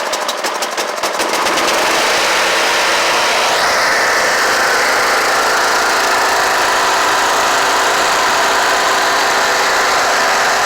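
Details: Kohler Courage 18 hp on Troy-Bilt Bronco riding mower after valve cover resealed with cork gasket plus sealant; choked start, catches after a few cranking pulses, steady even buzz, no misfires or knocking; smoking stopped, engine mounting bolt still loose.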